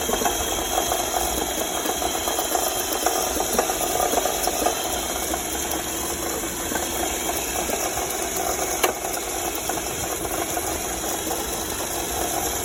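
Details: Honda Civic engine at steady idle with a light, rapid metallic ticking-knock over it at a constant rhythm; engine knock, source not yet clear.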